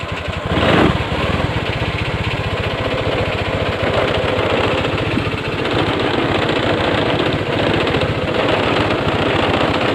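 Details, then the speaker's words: 2014 Honda Scoopy FI scooter after a starter and fuel gauge fault was fixed, started on the button: fires and settles into a quick, even putter with no misses or rattles; normal idle, though a low battery is suspected. "Oke, kita tombol starter ditekan. Oke, nyala ya."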